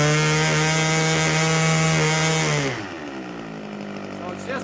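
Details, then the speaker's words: 32-year-old OS 61SF two-stroke nitro engine, static run with muffler pressure, fuel level with carburetor: high screaming note at full throttle that sags and stutters, slightly rich break-up, deliberately set rich for static running. "with muffler pressure you want it rich level running in static you can hear how it's rich"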